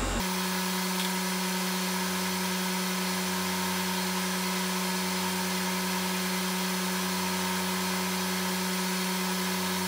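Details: Akafusion Akatherm CB315-U electrofusion welder after repair (blown resistor replaced), running a full weld at 4.8 amps, 104 volts output; steady unchanging mains hum and constant buzz, no dropouts or surging, holding output normally.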